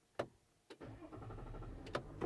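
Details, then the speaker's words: 2024 GMC Sierra 1500 AT4X, 3.0L Duramax LZ0 diesel, started after a fuel filter change and about 20–25 seconds of fuel pump priming: a couple of starter clicks, a prompt catch and an even steady idle; normal start. "And it fired back up just like normal because the fuel was"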